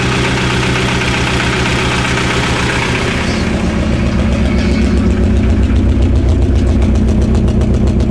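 Lumpy idle that stumbles, then a rev with rough uneven pulses as speed rises; a cylinder is misfiring.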